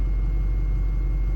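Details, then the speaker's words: Built 6.0 Powerstroke V8 diesel truck on its first drive after rebuild, pump only about 200 miles, still breaking in; ABS light from a loose front wheel speed sensor plug. Deep, steady, even idle with no knocks or misses: normal idle. "still running nice and smooth as you can hear and probably see the stuff's not"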